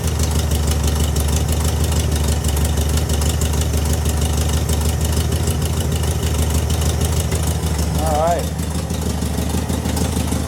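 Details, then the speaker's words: VW Beetle fitted with a new Pertronix distributor and coil, carburetor adjusted a quarter turn: even, steady low chug at idle with a regular beat, no misses, brief chirp; sounding much better, though owner says it backfires when revved, suspects lean. "Sounding much better."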